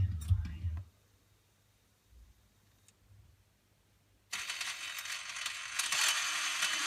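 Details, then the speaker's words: MMCD-3 disc changer found in a junk pile, already sprayed with WD-40: quiet, then loud harsh grinding and rattling as it swaps discs; owner suspects gearing or motor; cause unconfirmed. "When it switches the disc, it makes a sound, and it's pretty horrible."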